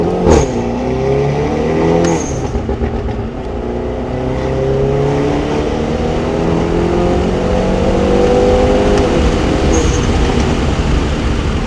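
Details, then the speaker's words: Hyundai Veloster N turbo with new Takeda intake and turbo inlet, test drive to redline: note climbs smoothly with clean breaks at shifts, no misfire or rattle; strong, normal acceleration. "Alright, red line right there. Dude, it sounds good. Hell yeah. It sounds similar to your engine one."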